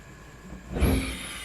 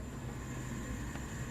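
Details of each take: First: Thai household gas stove burner on high setting: quiet hiss then sudden loud whoosh and thump with flame flaring out the side; no problem on low to medium; burner cap seating groove suspected, not confirmed. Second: Household gas stove burner at full gas after checking the burner cap seats flush, clean of debris; steady even low roar with no popping or puffing that it previously had at high flame.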